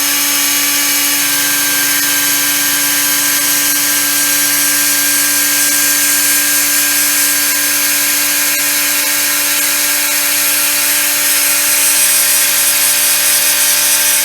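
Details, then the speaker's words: Peleng 1240GS gyro-stabilized binocular running at 12 V, settling near 4 W: a steady, even hum with clean held tones and light hiss. The gyro is running smoothly. "It settles about 4 watts. It's hovering about 3.9 and 4.1, depending on what the bearings do."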